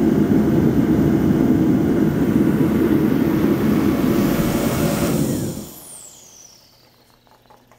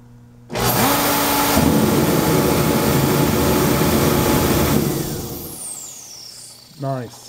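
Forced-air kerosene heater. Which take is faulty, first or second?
second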